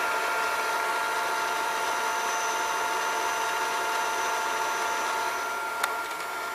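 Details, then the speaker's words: Older Shintom-built Funai FHC-1200 VCR on fast forward: a steady, thin, high squeal rides over the hiss of tape winding. The motor is squealing and needs lubrication. "Yeah, you're gonna hear the motor squealing. It needs to be lubricated."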